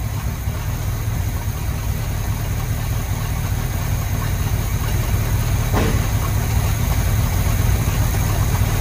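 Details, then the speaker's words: Chevrolet C20 squarebody idling cold with a new distributor rotor, choke rod out of adjustment and a worn carburetor accelerator pump diaphragm: a steady, even low rumble with no pops or misses; the engine idles smoothly. "i know the rod is out of adjustment but for the choke but i'm not really too concerned about it but it seems to be idling nice and smooth it looks like"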